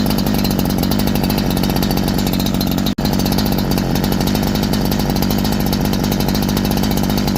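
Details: Holzfforma G372 chainsaw with 24-inch bar, after crankshaft seal replacement to fix a factory air leak that stopped it tuning: high, steady two-stroke scream holding pitch through cut without bogging; normal cutting under load.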